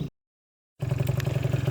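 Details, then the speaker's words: 2003 Zuma scooter on a test ride after its exhaust leak was fixed: quick, even, low putter with no rattles or misfires, sounding healthy, yet it barely reaches 35; a slight remaining exhaust leak or CVT noise suspected. "well it runs good and it sounds good but it barely cracks 35 and that just can't be right"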